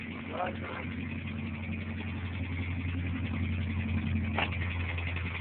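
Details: Honda Civic at idle: steady rhythmic loud dat-dat-dat knock underneath, about two beats a second, even and persistent; rod knock from a badly spun bearing on cylinder one.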